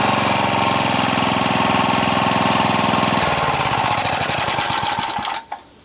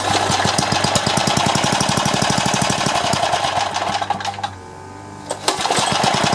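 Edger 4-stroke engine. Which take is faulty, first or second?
second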